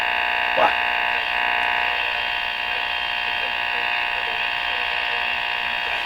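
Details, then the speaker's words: Rogers 11RA651 shortwave radio during SW band alignment: steady raspy buzz with faint pulsing over the radio hiss; interference suspected to come from something in the shop, source unknown. "That noise, I don't know what that is, but so for example, I've always told people like the number one thing is the money's in the list, and they're like, there's that noise again."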